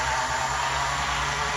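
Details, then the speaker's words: Life-Like HO scale F40PH locomotive with a 14:1 gear truck, running at low speed: steady whirring hum with a thin high whine. Most of the noise comes from the motor's dried-out, worn bearings. "because uh I think probably more than half of that noise is coming from the motor itself. Especially those bearings, they dried out pretty quickly and start making that extra bearing noise at lower speed, which is always a bit of a frustration."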